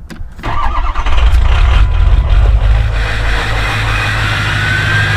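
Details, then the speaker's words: Ford 6.0 Powerstroke diesel, cold start after glow plug cycling, with injectors known to be failing: cranks, catches and settles into a rough idle, missing badly with a brief stumble and skip early on, which is typical of bad injectors. "actually they were still trying to buzz there and they're missing really bad it's this is a cold start for this girl and um even with letting the glow plug sitting here cycling this is what they do not they should not start like this guys"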